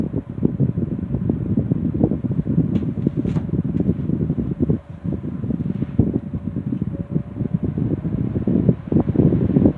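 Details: Restored 1960s Phoenix 16" box fan by Frigid with freshly cleaned and serviced General Electric motor, warming up on low speed: steady, even blade whoosh with faint constant motor hum, no ticking or scraping; normal running.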